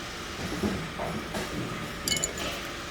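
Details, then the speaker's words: Front knife on a double cut unit being adjusted with the lock snugged: faint background hum, then a brief light metallic clink as the top blade just starts to meet the bottom blade. "Right, just start to hear the two blades come across."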